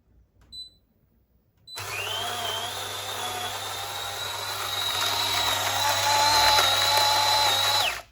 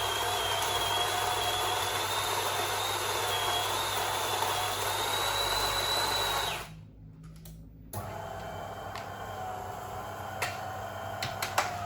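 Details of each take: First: DeLonghi coffee machine grinder set finer than allowed, adjusted a click or two at a time. It gives a high, strained, slightly rising whine as it works harder. Too fine a setting can stop it grinding a full dose and abort brewing. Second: DeLonghi coffee machine grinder set 2 clicks coarser after a too-fine setting left a wet coffee tablet; steady motor grind with a faint high whine for about six seconds, then stop and clicks; normal grinder operation.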